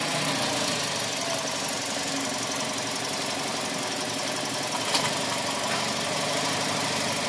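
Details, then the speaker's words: Toyota Vios Gen 4 AC system after compressor replacement, with pressures around 180/90 noted. A steady refrigerant hiss over an even compressor run; the occasional clutch tick is considered okay, and it runs normally. "pero pagkaab abnormal siya babawasan natin 'yan ayan oh pag Hindi nag-abn normal. Okay lang yan yung pitik ng pitik."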